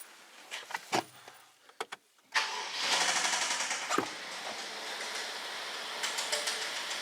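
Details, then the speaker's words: 2012 BMW 650 with 4.4 L N63 twin-turbo V8, customer reports loud noise when running: a few clicks, then engine catches and runs with rough rapid knocking, fairly consistent; obvious mechanical noise, rod knock with an engine malfunction message shown. "all right so that's what it sounds like being the fact that we have an obvious mechanical um engine noise possibly just bad engine"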